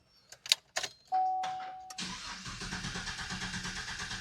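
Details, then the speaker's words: 2017 Chevrolet Silverado with intermittent no-crank: a few clicks and a chime, then steady cranking pulses about four per second; clicking only at times, cable voltage drop tested within spec. "So I finally got the truck to where it wouldn't crank. So all it will do is just click when you try to crank it up."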